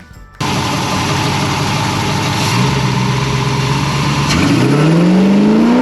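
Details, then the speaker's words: 1970 Plymouth Road Runner V8 with six-barrel carbs and Air Grabber, shakedown drive: fires, settles, then pulls with clean climbing note, no pops, stumbles, backfires or misfires; super smooth. Normal acceleration. "this is awesome this is what I wanted to see and you know what exactly what I wanted perfect perfect smooth no backfires no misfires no nothing super smooth beautiful"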